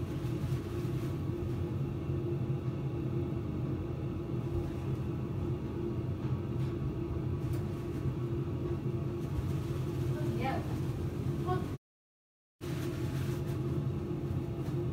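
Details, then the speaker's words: Systemair RVK 8-inch in-line booster fan mounted in the loft, added to the ducting of a weak CDA kitchen extractor hood, heard from the kitchen: steady low hum with even whoosh, no rattles or surging; running smoothly. "let's go into the kitchen and have a look I can really hear it doing its business so it's actually suck"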